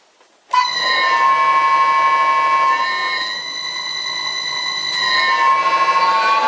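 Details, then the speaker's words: Wood lathe, described as a really noisy machine: loud steady high whine with several stacked harmonic tones holding nearly level while running; noisy motor drive. "although I must admit. I do like teasing you guys with a little harmonic noise"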